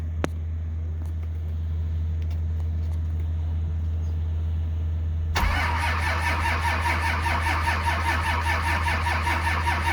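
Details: 1949 Chevy cab-over with 12-valve Cummins turbo diesel, sat months, around -5 degrees, no preheater: several seconds of steady cranking, then ragged firing pulses catching with soot; hard cold start.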